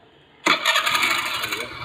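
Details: Motorcycle electric (self) start: sharp starter engagement, brief whirring crank, engine picks up cleanly with no grinding or clatter; normal start.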